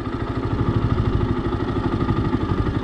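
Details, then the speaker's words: 2015 Yamaha YZF-R125 single-cylinder: steady even throb whose tone changes as the clutch is let out slowly to find the bite point; normal clutch engagement. "if i let this clutch out slowly you'll hear the bike begin to change in its tone once it begins to engage the clutch which you will hear"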